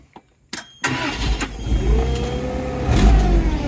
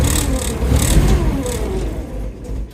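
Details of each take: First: Toyota 3K forklift with 4Y propane engine, once said to be seized and rescued from parting out: starter catches, fires within a second and settles into a steady, low, even run with no knocks or misses; normal start and run. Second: Toyota 3K forklift with 4Y propane engine, previously said to be seized, first start attempt with a hair of throttle: rough, uneven run that sags and dies within about three seconds; runs but stalls, propane adjustment unknown.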